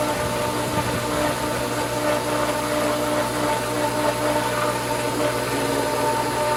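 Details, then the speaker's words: Pool pump at spring opening, after strainer cover reseated and the pump restarted; steady motor hum with a wavering whip-whip rise and fall in the water noise, growing louder, as the pump surges trying to prime. "again we got the whip whip whip whoops so that's kind of a good thing all right little different sound I like that I'm not sure I like that sound getting louder"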